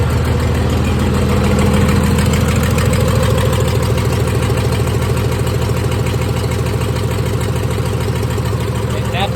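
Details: 1996 Dodge 2500 diesel with stock HX35 turbo, nearly at operating temperature: even, steady clatter at idle with a regular beat around two hundred a minute, no misses or knocks; normal healthy idle.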